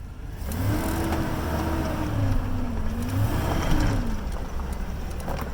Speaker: All right, let's go in reverse and see what happens. Nope. Still got hesitation.